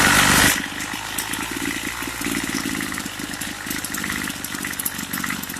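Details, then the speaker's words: Craftsman two-stroke weedeater that stopped running after about six months of use and storage; idle keeps cutting off, so the low screw is turned up about an eighth of a turn. Small fast, slightly uneven buzzing idle with faint hunting. Suspected lean idle. "Sounds like it's not getting enough fuel. So I'm going to turn the low screw up."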